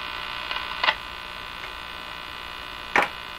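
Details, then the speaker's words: Crosley 43FB farm tube radio during shortwave band alignment: steady, bright electrical buzz that continues with the antenna removed, so generated inside the radio; does not occur on AM. "The buzzing is still there. So something going on with the radio making that buzzing happening."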